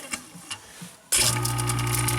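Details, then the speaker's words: InSinkErator garbage disposal that hummed without spinning, after teardown and repair: a few light ticks, then the motor snaps into a steady, even, quiet hum with no growl or stall, running normally. "Ooh, nice and quiet too."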